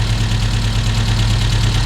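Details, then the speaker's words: Volvo 145 with Weber carbs, started after starting-fluid spray: steady low idle with an even deep rhythm and no misses or coughing; idling smoothly. "uh um i had to spray a few times but after a moment it started okay and uh listen to this i love it and it doesn't cough at all"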